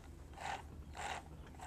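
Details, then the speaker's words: Rebuilt 1970 Bridgestone DT 175cc motorcycle transmission shifted by hand through third, fourth and fifth: crisp, separate clicks about half a second apart, no grinding. Everything is working; normal gear shifting. "And last into fifth. So it looks like everything's working there."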